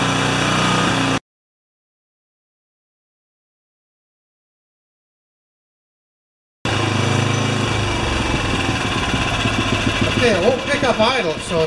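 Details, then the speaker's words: Makita G2400R 2400 W generator that sat a long time, first run on fresh fuel: engine runs unevenly after a silent gap, beat wavering and surging; rough running, carburetor butterfly suspected, not confirmed. "not right okay let's turn this thing off hook all it runs not great but it runs"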